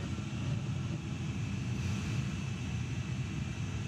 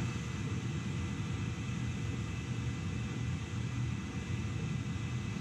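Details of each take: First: Home gas boiler with delayed ignition and backfires, during a gas pressure test; heavy steady low roar from the burner, fuller and harder than it should be; over-firing because gas pressure is set too high. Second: Gas boiler with a delayed-ignition backfire problem, burner running during a gas pressure test at about 3.5: a steady, even low roar with no pops, surges or flutter. Burner firing smoothly.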